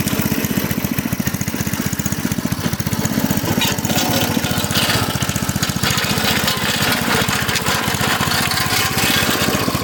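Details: Craftsman rototiller with a Briggs & Stratton 5.5 hp I/C single-cylinder engine, after a non-start fixed by rinsing water and rust from the fuel tank and refuelling. Steady, quick popping at constant speed with no misses or surging; running cleanly.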